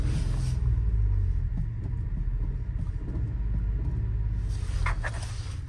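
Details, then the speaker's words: Nissan Micra 3-cylinder at idle, codes cleared and plugs swapped: low, lumpy idle with uneven thump breaking rhythm and popping at the exhaust; misfire, owner hopes it is a coil pack. "It's only a 3-cylinder, so they don't sound the best at the best of times."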